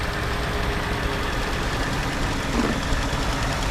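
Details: Ford F150 2.7L EcoBoost twin-turbo after fuel injector replacement: steady, even idle, constant low drone, very smooth though running rich at first; normal idle after repair.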